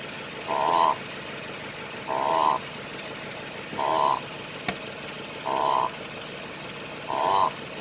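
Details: 2008 Lexus LS460 underbody noise, a known chronic fault: repeating creaky squeak about every 1.5 seconds as the body moves, from a dry, worn upper control arm bushing.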